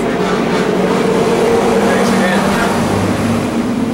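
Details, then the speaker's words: Mini lathe machining a rod (brass per description): a chamfer cut caught and stalled the motor, which froze and hummed while energized until the power switch was hit; afterward the lathe was dead, with the controller failed. "when it caught and it stalled the laid out the motor froze like hear it humming and I hit power switch as fast as I could"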